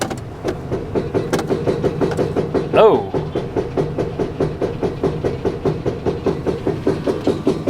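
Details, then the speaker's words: Nissan Titan pickup put in gear: heavy rhythmic clunks, two or three a second, a hard driveline bang under the truck; drive shaft looks intact, owner suspects a blown rear differential. "um that's not good that's that is not good at all it sounds like a drive shaft is just banging around under here"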